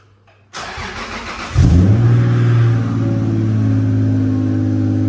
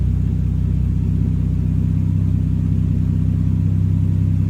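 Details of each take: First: Toyota VVTi 2JZ-GTE after throttle delete conversion, warming up, target idle 650-700 rpm: engine catches and flares, then holds fast idle near 2,000 rpm that never comes down; resistance test showed failed throttle position sensor, replacement awaited. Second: Toyota VVTi 2JZ-GTE after throttle delete conversion kit installed: steady low idle with even firing, no knocks or misses, revs picking up while left idling five minutes toward target 650-700 rpm; healthy idle, TPS position judged by settled revs.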